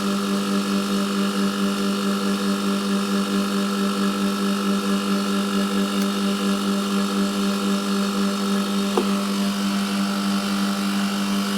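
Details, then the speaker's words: Milk-cooling condensing unit with new condenser fan motor and correctly sized blade (old motor's front bearing failed), running until frost forms on the line; steady low hum with even fan rush, no rattles: normal running. "nice bit of heat in that thicker nine now we're getting a bit of frost on there"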